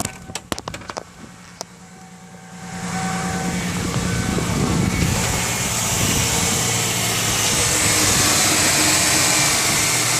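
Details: 1995 Mustang 3.8L V6 with a regular knock about three a second under hiss, at idle and when revved; no knock when cold or under load (brake held, 2k rpm); gets louder with cylinder 6 plug pulled.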